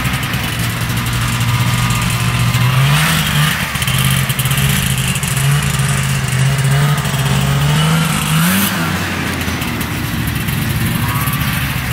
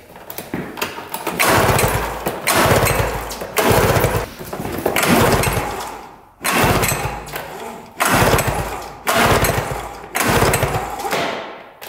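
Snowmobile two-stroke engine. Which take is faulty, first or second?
second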